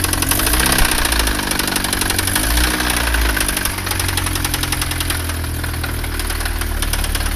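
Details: Chevrolet Astra 1.8 at idle with oil pressure warning light on: loud, fast, steady knock riding over the engine; rod knock.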